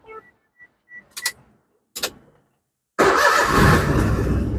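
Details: Perodua Myvi 1.0 that stalled with aircon on, unfixed by three workshops: a few quiet clicks, then the engine catches at once and settles into a steady, even run; clean start after repair.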